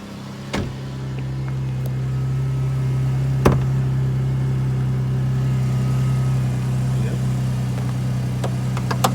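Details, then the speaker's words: 2007 Pontiac G6 on a restart: steady idle hum with a faint thin squeal riding over it, usually heard cold and on acceleration; persists despite new idler and tensioner pulleys and belt; source unconfirmed. "And the noise is back in the G6 here."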